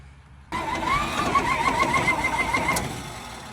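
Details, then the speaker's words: 70-year-old farm truck, leaking water pump, oil bath air cleaner removed, choke worked by hand: two seconds of uneven cranking with faint attempts to catch but no start; spark confirmed and carburetor shooting fuel, cranks but won't start. "acts like it wants to go yeah she's gonna start sounds like she wants to fire"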